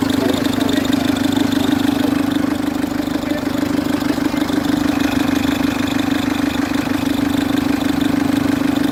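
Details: Citroen C3 HDi diesel at idle: loud steady droning tone with a fast regular chatter, about three per second, from a worn auxiliary/serpentine belt tensioner; tensioner to be replaced along with the belt.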